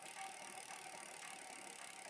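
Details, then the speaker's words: Bicycle front derailleur with low limit set too far in while pedalling: steady dry hiss and scraping from the chain as it wants to drop inside toward the bottom bracket area; misadjusted low limit screw. "Well, and you can hear that sound though too, like it's wanting to. It would be coming down into the into our bottom bracket area, scratching that all up and such."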